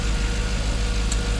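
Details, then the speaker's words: Jaguar XK8 V8 idling after ignition coil replacement: steady, even low rumble with no stumbles or skipped beats; the earlier misfire is gone and the engine has really smoothed out. "I lay out it was just that misfire and that is now gone as you can tell she's running oh oh I know she's really smoothed out that's sweet"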